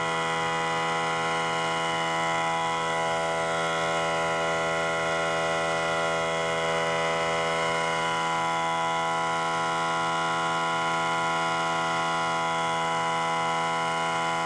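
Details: Central Pneumatic 95275 oil-less 3-gallon 100 PSI pancake compressor after fitting two new seals: steady motor drone with an even pumping beat about 2.5 per second, no knocks or squeals; running healthy, later shutting itself off.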